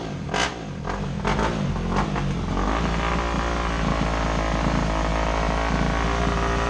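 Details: Motorcycle, not started in a while: a few sharp clicks, then engine catches and settles into an even run with no knocks or misses; healthy after sitting.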